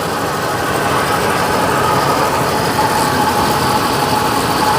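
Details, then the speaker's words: 1956 Chevy V8 at idle: slightly uneven stumbling beat under steady exhaust rumble, sounds like running on fewer cylinders; dead-cylinder misfire, with one header not burning off water spray. "It definitely sounds like it's running on 5 cylinders."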